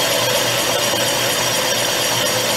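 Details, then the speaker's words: Motorcycle cylinder bored on old Atlas 10-inch lathe with homemade boring bar, slow speed, automatic feed, about five-thousandths first cut: steady, even hiss with no squeal or vibration; clean, chatter-free cut. "like it's cutting pretty good no chatter that's a good thing"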